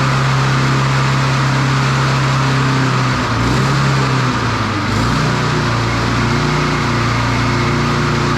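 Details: Standard push mower single-cylinder engine after a broken governor arm spring fix. Loud steady drone dips and recovers midway, then holds higher revs. The spring was moved one notch, only a couple of mm, changing engine speed.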